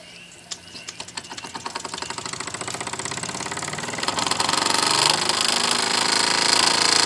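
Quick, even chuffing beats about four a second, steadily building in strength as it picks up speed; a smooth, healthy-running little steam engine.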